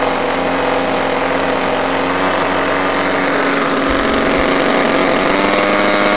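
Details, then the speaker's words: Hybrid drone generator (auxiliary power unit), two small two-stroke engines driving 130 kV generators, throttle rising so generator carries more of the load: steady buzz deepening slightly yet even; normal running under load. "as I increase the throttle you'll see that the upper will begin to carry more of the load also notice that the whole page is remarkably stable"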